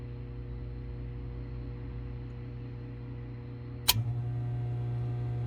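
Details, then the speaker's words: 2015 Frymaster FPEL314CA 208 V three-phase electric fryer after heat contactor replacement, cycling: one clean snap as the contactor pulls in, then a quiet steady hum with no chatter. Contactor working normally. "That's how it should do. That's how it should do."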